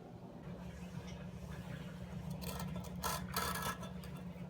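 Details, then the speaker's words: Toilet blocked despite two plungers, a snake and a Johnny Jolter; hand auger fed into the trap: rough scraping and rattling bursts over a low hum as it catches on a hard object lodged in there. Pushing down from the top later cleared it. "so you can hear it catching on the the blockage I can even hear it rattling in there so I'm guessing this is the culprit"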